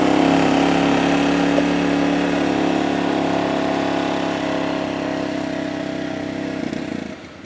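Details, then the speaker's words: 2007 Arctic Cat 400 ATV, unused 1.5 years, carburetor cleaned, fresh fuel, rope-started: single runs busy and steady, then sags and cuts out near seven seconds; owner reports it dies once warm. "And we're dealing with that issue that the owner was telling me about that once it warms up, it dies out on you."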